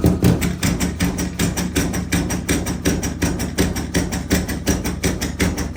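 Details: Water hammer in bathroom sink and toilet plumbing at about 60 psi: rapid hollow bangs about three a second as water is turned on, a shock wave through the pipes.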